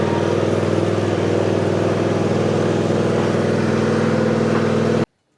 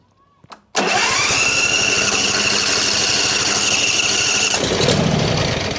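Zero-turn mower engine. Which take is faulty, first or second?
second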